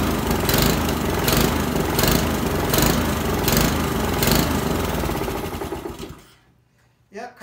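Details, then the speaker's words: Honda lawnmower during tune-up after oil change and new spark plug, air filter off; engine speed swells and sags about every 0.75 s at full throttle, dies when throttled down; surging, carburetor to be pulled and cleaned. "if it's still surging like that then we'll have to pull the carburetor off"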